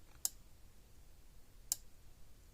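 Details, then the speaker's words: Patriot PMX350 fence energizer, plugged in and clicking; two crisp snaps about 1.5 s apart in a quiet room, fence tester reads 10+ kV across the bolt heads; healthy pulse. "Hear it clicking along."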